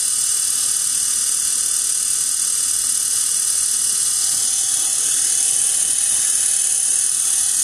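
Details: 1 hp, 2500 rpm, 90 V DC motor run at only 12 V from a computer power supply, just after cleaning brushes and commutator: steady high hiss and whir, no knocking, brush noise expected for a few minutes.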